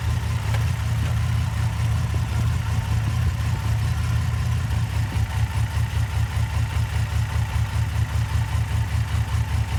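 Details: Engine at low idle with an uneven, lumpy pulse and a periodic stumble in the beat; light misfire on cylinder #4.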